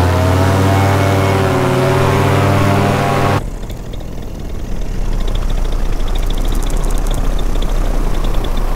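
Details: Vittorazi Moster 185 paramotor two-stroke with Walbro carburetor at strong, even high power after mixture adjustment, then cutting to wind; mixture sounds about right, starting easier, with no obvious roughness, only a slight belt squeak noted.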